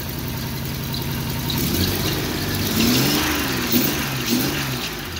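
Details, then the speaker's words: Free Jeep with new distributor cap, chugging at idle: revs climb and smooth out, then drift down slowly and must be helped back to idle; intermittent squeal from the rear also noted. Revs hang, slow return to idle, cause undiagnosed. "if i raise the rpm a little it seems to smooth out with more rpm and then when i let off it has kind of a hard time going back to idle"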